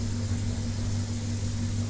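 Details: Vaillant Turbo Max boiler, previously condemned, after repair and cover refitted: steady low hum with soft even burner rush, no clicks, bangs or whistles; boiler firing cleanly.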